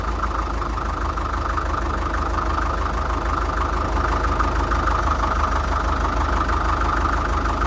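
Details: 1947 International Harvester TD-9 gas-start diesel crawler, first start in years after magneto rebuild: even steady thump settling into regular idle about three beats a second, no misfires.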